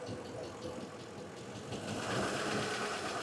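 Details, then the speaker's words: 2006 Ford F-150 with no-power complaint, at idle with hood up: quick light ticking about three per second over the idle, like a tap but more aggressive; collapsed lifter tapping in the valvetrain, TSB for engine noise researched. "That engine is goingick tick tick tick tick tick tick tick tick tick. I mean, can you I don't know if you guys can hear it."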